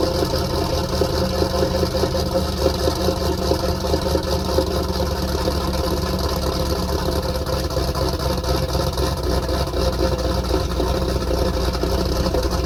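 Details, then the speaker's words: 334 small-block Chevy V8 after break-in and oil change, choke idle screw adjusted, warming up: steady even low rumble, regular beat, no knocks or ticks; idling cleanly, still needs a little tuning. "Still got a little bit of tuning to do, but she sounds good, doesn't she?"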